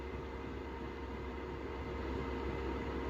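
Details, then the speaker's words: Chinese 2kW 12V diesel heater in a VW Transporter T4, running full power with the fuel pump boxed in after a noise fix: even, steady roar with no clear pump ticking; pump runs quietly. "I probably up on half of that which is a slower pump it is quieter is slower ticking away and that's it can't really hear anything"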